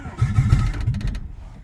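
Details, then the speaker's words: Honda Prelude engine first start after sitting four years, head reinstalled, firing order thought corrected: brief loud deep popping as it fires and fades, harsh because headers are open with no exhaust; smoke or steam seen. "doesn't sound great but I think that's open headers syndrome"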